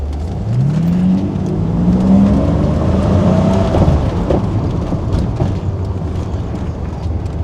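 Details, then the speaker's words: BMW E32 750iL V12, after the exhaust system was reinstalled and the car was driven without overheating: smooth, even revs that rise and fall cleanly with no rasp, rattle or misfire. The exhaust is quieter from inside the car. "it sounds good it actually I can hear it I hear the car Less on the inside"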